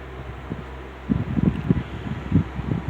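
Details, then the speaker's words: Rebuilt Wizard window box fan (bearing caps transplanted from a Lakewood X 22) in window pulling air in: steady low whoosh with gusty buffeting, no chatter or rattle; strong draft, running smoothly. "It is blowing a tremendous amount of air in. It's creating a a really nice draft."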